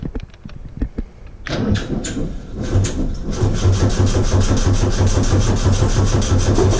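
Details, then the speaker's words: Ecotec-swapped VW Bug on a better battery, testing for oil pressure. Several clicks, then steady rhythmic cranking at about three beats a second with no catch; oil pressure comes up. Engine cranking. "Let's see if the oil pressure comes up when we start cranking."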